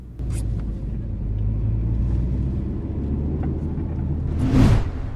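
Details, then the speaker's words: VW Lupo after the fuel pump was replaced and the fuel level sensor contact adjusted. A low engine rumble rises and falls with throttle, with a brief rev and no stumbles or odd noises. It runs normally and a test drive confirmed it. "after all of that the car seems to be running normal again and the fuel gauge works and the quick test drive confirmed that everything is okay"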